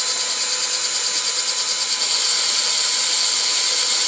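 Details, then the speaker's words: WPL 4x4 RC crawler rear axle with full metal gear kit, new gears spun in by drill on wheel hub: high drill whine with rough gear chatter pulsing about three times a second as gears mesh in. "So I like to get the drill and you put it on the wheel hub, not on your diff, and you kind of just give it some spins. Push and pull a little bit, slowly. Do it for just a few until it starts to feel like it's getting a little easier on the spin."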